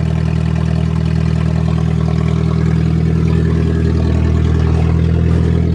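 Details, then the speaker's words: Nissan with 2.4 L 12-valve inline-four, cold start at −8 °C after a −11 °C night, a bit of smoke: a steady, even idle with smooth low rumble and no knocks or misses; running healthy. "yep everything's okay perfect and a bit of smoke gotta love your nissan pollution and all"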